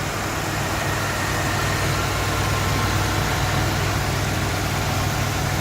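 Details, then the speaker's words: 1981 Ford Thunderbird Heritage Edition at a pre-purchase inspection, engine still pretty cold, idling: steady, even, smooth low hum with no knocks, ticks or misses; normal healthy idle. "I know it will smoke throughout or anything like that against running nice and smoothly"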